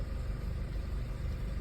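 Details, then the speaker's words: Audi A4 with intermittent rough idle and stalling, many parts already changed without fix: low steady rumble with even beat, no stumbles; idling smoothly for now, cause still unknown. "just hasn't fixed it man see it's idland and smooth now"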